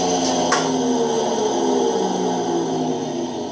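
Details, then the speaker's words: Electrolux 12 kg washer that was overflowing because of a loose hose, with its belt off. The motor spins with a loud, steady droning whine with a rough edge from a worn motor bearing, to be replaced. "a gente vai trocar e rolamento de motor que está fazendo barulho forte mas esse barulho é de menos né"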